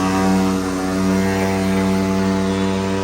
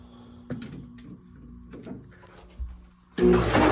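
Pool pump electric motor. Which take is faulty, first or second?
first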